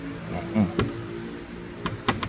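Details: Hyundai HB20 on a lift with a rear creak: short creaks and knocks as the loose fuel tank is rocked by hand, metal rubbing on its mounts, over a steady background hum. Not the rear axle bushings.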